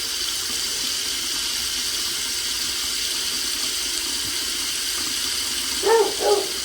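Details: Rental property faucet after shutting water off and bleeding air from the rattling line: smooth continuous hiss with no sputtering or pipe rattle; steady flow.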